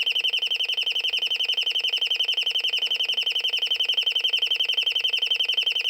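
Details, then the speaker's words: Royal Smoke, Gas and Fire Alarm, estimated late 1970s or 1980s, speaker-driven rather than electromechanical or piezo, switched off again: fast, even, shrill beeping at about three to four pulses a second. It ran its test mode, and the alarm is working. "Nope. It did a test mode this time, which is good. That's cool. A test thing."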